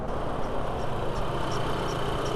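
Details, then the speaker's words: VW B6 Passat 2.0T at idle after serpentine belt replacement: faint high chirp about three times a second, slower rhythmic noise than the accessory pulleys; suspected from the timing belt. "there's a bit of that noise it might actually be coming from the timing belt yeah that's coming from timing belt it's a lot slower it's a slower rhythmic noise than these pulleys are turning"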